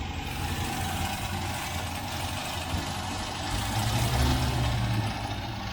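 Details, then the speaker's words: 1967 MGB Mk1 with a rough idle. Brake cleaner sprayed at the inlet manifold makes the idle briefly rise, then settle. This shows a vacuum leak at the inlet manifold, and the manifold gasket is suspected. "There's a definite leak there. So hopefully when I do that it will solve my problem."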